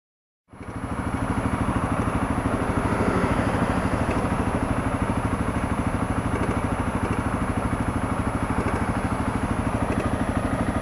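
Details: Honda CRF250L single-cylinder idling with busy metallic clatter over the firing beat: slack cam chain from the third failure of the Honda automatic cam chain tensioner, later replaced with a manual tensioner.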